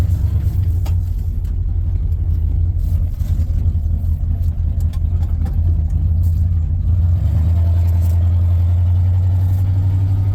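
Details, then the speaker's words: 1994 Ford F-150 after replacing a bad fuel injector that caused shaking in low gears: steady, even low drone with no stumble, then a smooth step up in revs that holds cleanly; engine runs healthy. "sure yeah it's working out it's supposed to all right yeah it's so much better thank yeah guys"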